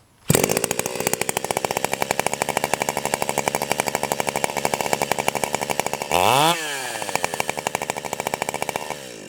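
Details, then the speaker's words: Stihl 028 AVEQ chainsaw (Kaiser), low-speed jet screw turned in about half a turn: starts and idles fast and busy, brief rev, chain trying to creep. Lean low-speed idle mixture; fix by backing the low jet out. "idle okay you can hear how fast it's idling and the chain is kind of trying to run a little bit and uh so what that's telling me is that is a little lean"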